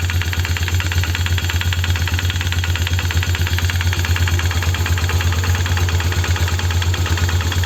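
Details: Polaris 330 Trail Boss single-cylinder idling with a steady knock on each firing, about three a second, plus some rattle around the clutch; noise from CVT/clutch or engine area disappears when throttle is pressed, cause unknown.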